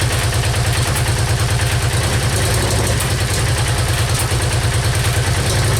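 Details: Yamaha Virago XV535 on its first start attempt on choke, after new spark plugs, cleaned carbs, a new air filter and fresh petrol, in cold weather: uneven but steady V-twin lope of about three beats a second with no knocks or misses; healthy idle.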